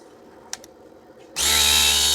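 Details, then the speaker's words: 12V DC mini tyre air compressor pump after repairing rat-chewed wiring by splicing; pump kicks on abruptly with steady high buzzing rattle, building about 50 pressure on the gauge; normal running. "Pressure બનવું જોઈએ આપણે જો pressure બને છે તો pressure 50નું બન્યું હતું બરાબર"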